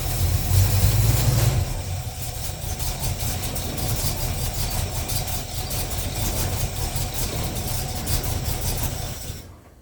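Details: Chevy 350 small-block in the pickup ToXiC, first start after intake manifold gasket and fan clutch replacement, with a little choke and not yet warmed up: deep, even V8 idle, steady low thump, no ticking or puffing; normal idle.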